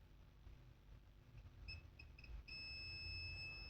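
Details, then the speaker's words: Acer Aspire 3 315-32 laptop motherboard, multimeter continuity test at the current sensor input after replacing one capacitor: a few short high chirps, then one unbroken steady beep reading 0. The main input rail is still shorted to ground. "so now the question is why we still have a shorted main part why let's check here let's check here on this capacitors where we replaced one 0 0 we still have a short here zero year 0 0"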